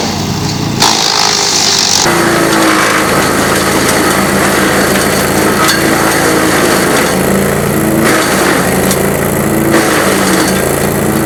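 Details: GreenMech Arborist 130 wood chipper chipping on dull blades: engine holds a steady drone while wood feeds in uneven, dragging bursts lacking crisp bite; productivity reduced but no downtime; dull chipper blades.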